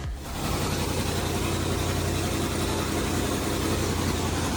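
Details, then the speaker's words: Abandoned 2003 Land Rover Discovery 2 after a new inertia switch, started with starter fluid: a brief crank, then a steady, even idle with no misses. Runs smooth; owner suspects ECU, MAF or oxygen sensor issues behind inconsistent starting. "After she was running, she ran very smooth and there was no problems at all."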